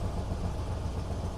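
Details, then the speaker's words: Cold start with choke set on a 1971 Buick LeSabre Custom 455 V8: deep, lumpy idle with a rough, puffing rumble from the tailpipe; the exhaust sounds ragged, likely blowing somewhere. "cold start set the choke God that exhaust sounds like crap I really want to get it fixed by the time this weekend comes"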